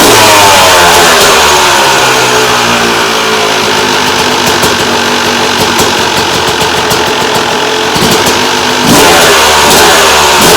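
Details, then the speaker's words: 2001 Yamaha YZ250 two-stroke during rebuild, picked up in rough condition (horrible air filter); crisp ringing revs climbing and falling cleanly on throttle blips, no misfire or bogging, sounding much better than before; normal running. "all right so I think she's sounding a lot better than she was before"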